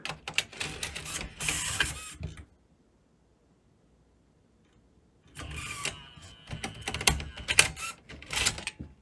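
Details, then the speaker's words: JVC Victor XU-D400 Mk II CD/MiniDisc combo deck, MD drive after spindle motor work and capacitors replaced: short clicking and whirring bursts, a pause, more fumbling as it tries to read the disc and fails; no emergency stop, drive too far gone. "nope it tried to do something and failed try the other one yeah this guy's too far gone"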